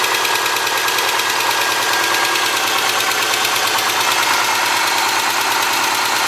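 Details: 2003 Subaru Forester, 178k miles, cold start about 150 miles after a head repair for a dropped valve guide: fast sharp ticking from the driver side at idle. The driver-side front exhaust valve clearance was .029 instead of about .010; adjusting it removed the noise.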